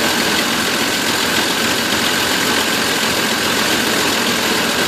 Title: Van misfire